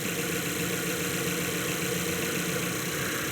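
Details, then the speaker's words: 2012 Mazda 3, 2.0 L naturally aspirated, 184,000 miles, check engine light on: idle has an uneven, lumpy beat with about three or four stumbles a second that come and go, an intermittent misfire that doesn't feel terrible, cylinder not yet identified. "It's not a consistent misfire. I'll say that much. And when it does misfire, it doesn't feel like too like terrible."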